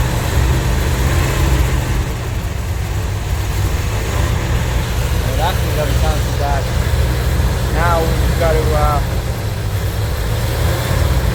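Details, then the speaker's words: Van engine running for the first time after work on the fuel system: a steady, even low rumble with no knocks or misses. It idles smoothly and sounds healthy. "this fuel thing doing it. Yeah, sounds good."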